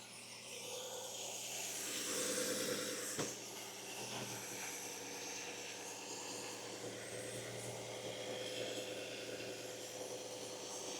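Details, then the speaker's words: Vacuum leak heard under the hood at idle: a loud, steady airy hiss over the running petrol engine. Scan showed a lean condition with one code, and a broken vacuum hose was found as the cause. "Okay, I hear a vacuum leak. Yeah. Wow. Can you guys hear that vacuum leak?"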